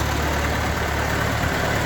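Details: Ford 8N four-cylinder tractor idling after installing a spin-on oil filter adapter, oil pressure confirmed; low, steady idle with an even, unhurried beat and no knocks or misses, healthy.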